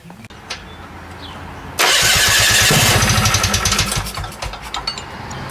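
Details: 1972 Rotax 340 two-stroke in a Tomberlin CrossFire go-kart, first start after fitting a hybrid clutch. It catches after a second of quiet and settles into a crisp, fairly steady run with no knocks or rattles.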